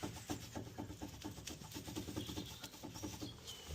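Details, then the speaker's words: Ford Focus C-Max on jacks, wheel off: rocking the front anti-roll bar drop link, fitted under 10 months ago, by hand gives sharp clacks with each movement. It has a lot of play and is being replaced. "got a lot of play in it. So, it's going to be replaced."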